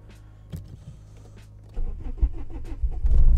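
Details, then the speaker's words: Standalone ECU (Speeduino/Megasquirt, TunerStudio) car cold start at 0°, cranking enrichment raised from 100% to 120%, no idle control valve fitted: short quiet cranking, then catches promptly into a firm, steady run, a normal clean cold start. "ah and it already started that's the best case scenario for now"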